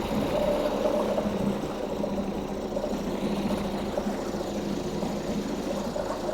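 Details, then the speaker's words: 2004 Mercury 2.5 hp two-stroke outboard, unwinterized after six months' storage, lanyard now seated: starts about first pull, steady even buzzing run on choke, no misses or knocks; running normally. "She's a runner. Was that like first pull, technically? Let's take away some choke."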